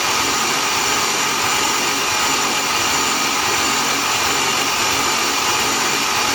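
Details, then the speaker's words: Built 3800 V6 before first start, spark plugs out, cranked about 60 seconds to prime oil: continuous even starter whirr with no compression chuffs; sound changes once oil circulates, engine ready to start. "oh you can hear the difference once the oil went through the system you can hear the difference in how the motor sounds so the motor is ready to be started now"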